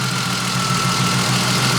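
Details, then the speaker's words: Car started after sitting a year, with coolant added, IAC and intake installed and wiring trimmed; weak starter, then a steady even low idle with no knocks or misses; runs exactly as it did a year ago, still smoky. "sounds like she's running exactly the way it did a year ago"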